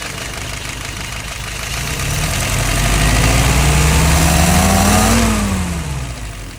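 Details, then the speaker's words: Restored, tested and adjusted 938 #2, load set correctly, RPM steady about 695: low even beat swells as engine picks up speed, holds, eases off smoothly; healthy normal running. "All right, look at some numbers. RPM, steady at about 695, almost 700."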